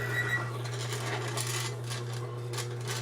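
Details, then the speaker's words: Lubricity test machine, Die Lube 2000 pure spray lubricant applied to a surface already galled and bound up from earlier testing: steady motor hum with irregular rough scraping bursts; roller chattering on the galled surface. "it's sprayed onto what's already been galled up and bound up it's already chattering because of all that sound from before"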